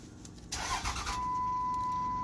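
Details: 2006 Dodge Ram 3500 5.9L, no communication with ECM: starter cranks briefly, steady high tone holds about a second and stops, engine never catches; moving a harness connector changes a clicking rate, wiring suspected, not confirmed.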